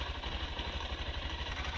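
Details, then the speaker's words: 2023 Honda CB125F single, after valve adjustment (exhaust had been too tight, intake too loose; set 0.08 intake, 0.2 exhaust), warmed: steady even low putter, no misses or ticking, not running lean; normal idle. "I think it's safe to say from that little demonstration that the bike's definitely not running lean anymore. And in my opinion, that's probably a good thing. It's idling fine."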